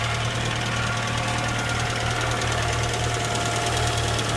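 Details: Car idling, about 60°F outside: steady idle with quick, uneven light tapping, roughly three per second, over the engine drone; ticking at idle, likely valvetrain tick.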